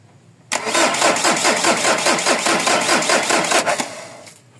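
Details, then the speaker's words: Mazda BT-50 pickup, WE 3.0 DI turbo diesel, hard starting, now won't start: starter churns steadily about two beats a second for three seconds without firing; runs briefly on starting spray then dies, suspected no fuel supply. "ganyan lang siya ng ganyan kahapon din ganyan pero pag sinubuan ng ng contact Liner nagre-react naandar Pero patay agad kasi walang supply nga eh"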